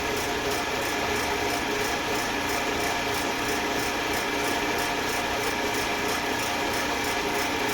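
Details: Eastwood Elite QST 30/60 scroll air compressor after replacing the failed pressure switch, which had never cut out and popped the 30 A breaker: tank around 75 psi heading to the 145 psi cutoff, steady whir with even ticking beat, no knocks; normal running.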